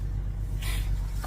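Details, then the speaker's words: Tractor after sitting in 30-degree weather, no charger put on it: a single harder dry click from the starter with no cranking, another engine idling nearby; weak battery, starter clicks but won't crank. "Maybe you can hear it. Ooh, clicks a little harder. Not enough though."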